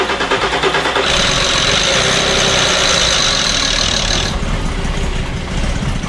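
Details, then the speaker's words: 2006 VW Passat with a low oil pressure light, suspected worn plastic timing chain guides, restarted after the oil pan was removed and repair work done: the engine settles into a steady, even idle, much quieter, with no front-end rattle. "Much quieter. Oh yeah."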